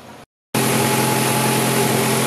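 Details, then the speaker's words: 2004 Ford Fiesta after water pump replacement and accessory belt refit, which had squealed: engine catches and settles into a steady, even idle with no squeal or chirp from the belt; normal idle. "ahí ya lo tenemos funcionando Ahí está funcionando está girando"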